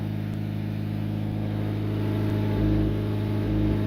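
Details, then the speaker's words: Honda Civic EM with its exhaust temporarily welded back onto its mounts, idling in neutral: a soft uneven puffing about four times a second over the low drone. The exhaust is leaking at the silencer and somewhere else. "right so it is leaking out the silencer"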